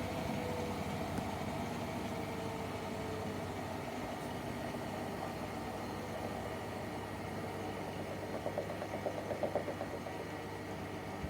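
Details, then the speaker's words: Hotpoint WMFUG942 washing machine with brushless motor, spider arm suspected: drum hums through its spin, then thumps unevenly as it winds down badly off balance; off-balance drum from spider arm, with weird clunking noises. "Watch as the drum comes to a stop. Guys, the drum is very off balance."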